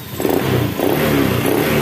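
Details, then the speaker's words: Honda Beat ESP scooter after repair: it had kept stalling, and MIL code 52 pointed to a CKP (crankshaft position sensor) error. Quick, clean throttle blips now rise and fall freely with no misses or stumbles, revving normally. "Pas saya hidupkan hidup cuma kadang mati Kadang hidup dan ini sudah normal kembali setelah saya tangani Ternyata ada yang error di ckp"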